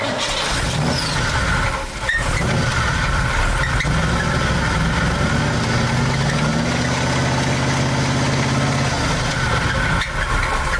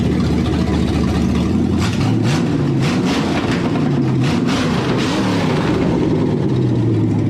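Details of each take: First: Numbers-matching big-block Corvette idling with a deep rapid knock on every turn; oil present but dirty, judged no oil pressure and rod knock. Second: V8 that had not run in years and first would not idle (suspected vacuum leak): deep, even burble with light throttle blips, healthy after a valve cover hitting the passenger-side rocker was dented clear.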